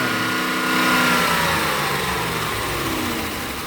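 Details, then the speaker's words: Police Dodge Charger HEMI V8 after new updated lifters were fitted: it settles from a light rev back to a smooth, even idle. The top-end tick fades away as oil reaches the hydraulic lifters, and the engine now sounds normal. "There you go. Now sound normal."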